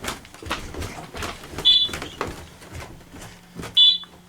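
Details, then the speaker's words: Alertek i8005 fire alarm panel, garage zone in first stage: short high beeps about two seconds apart over steady relay module clicking; pre-signal that should not have happened, before going to second stage. "alarm first stage garage you hear the SN module clicking away in there pre- signal that should not have happened"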